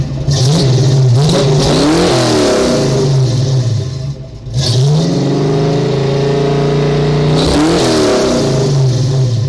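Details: Ford small-block 302 V8 after vacuum leak and sticking EGR fixed, smog and cat deleted; deep, smooth note climbing and falling through full-throttle revs, even firing, no misses or knocks; healthy revving.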